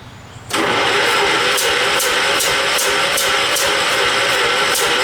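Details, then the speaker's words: John Deere 212 tractor primed with brake cleaner: catches after cranking, then runs with a loose, uneven chuffing about two to three beats a second and smoke puffing out; owner suspects a blown head gasket. "It's starting to sound like the way it's farting that it might actually have a blown head gasket."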